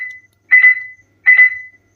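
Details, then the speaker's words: SSBRIGHT Avenger SG-13B Bluetooth speaker, powered on but not connected to a phone: steady high beeps about every 0.75 s; shorting or pressing the faulty mode button stops them, so the mode button needs replacing. "पहले ये देखिए की को short जैसे ही मैं कर रहा हूं तो यहां पर जो बीप साउंड है वो ऑटोमेटिकली ऑफ हो रहा है। यह आप देख सकते हैं। यानी कि प्रॉब्लम इसकी ये जो की है इससे ही आ रही है।"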